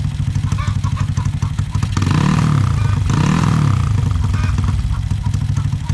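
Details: Honda Supra X 125 bored to 200cc with a PWK 32 carb (pilot jet 38, main jet 115, soft daily tune): steady single-cylinder idle, then two crisp throttle blips that rise and fall without bogging. Jetting is close to right; the owner may drop the pilot to 35 or 32.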